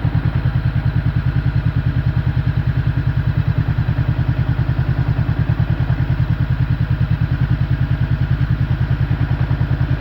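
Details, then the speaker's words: 2015 Honda CB500F at idle: even thump about 200 beats a minute, slightly rougher vibration when the clutch lever is released versus pulled; loose clutch plates rattling, normal per mechanic. "você puxa a embreagem os discos da embreagem eles ficam toda de justinho apertadinho quando você solta a embreagem eles ficam soltos Então essa vibração Zinho se sente a diferença no motor"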